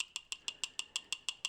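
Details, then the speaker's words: Original fan from a four-year-old mini heater that failed, bench-tested: sharp, even ticks about six times a second, thin and tinny with no hum underneath; a rattle suspected from high-speed running in the heater, not confirmed. "So I think when this is under high speed in the machine,"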